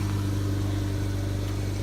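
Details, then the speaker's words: 2013 Nissan Versa after a temporary exhaust repair of a pipe snapped at the flange, using an adapter sleeve and clamps: smooth, steady low hum at idle with no blowing, puffing or rasping; exhaust sealed and quiet. "gonna take a ride yeah actually some exactly the way it did wow it's a lot quieter than I thought I cranked the hell out of those clams"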